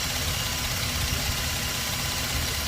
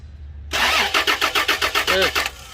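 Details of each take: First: Toyota Land Cruiser V6, after a crank-no-start fuel pump relay problem: steady, even idle with constant low rumble, no misfire or surging; runs smoothly. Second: Toyota Land Cruiser V6 cranks in steady pulses, about four or five a second, then stops without firing; crank, no start, with the fuel pump relay under suspicion.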